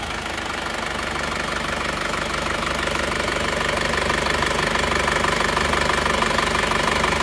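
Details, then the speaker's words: Isuzu Panther L 1740 diesel after piston ring and piston replacement, warm at 82 °C, idling, no exhaust smoke. Steady, even clatter about three beats a second, no miss or knock: normal diesel idle. "ee knapotnya sudah hilang asap tidak mengeluarkan asap kondisi stasioner suara mesinnya seperti ini halus ya"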